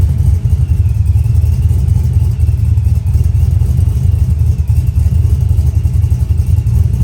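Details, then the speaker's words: Brian Tooley Truck Norris cam engine tuned in HP Tuners, idle 800 rpm, idle timing lowered to about 26 degrees, steady idle timing control, no over/under timing swing: low choppy uneven natural cam lope, the cam's natural sound. "this is basically your natural sounding lope with a cam this is how the cam wants to sound in its natural state"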